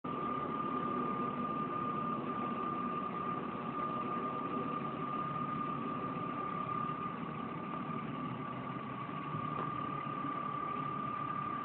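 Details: 1997 BMW E36 M3 at idle: steady high whistle or whine holds at one pitch over an even idle rumble; source not identified.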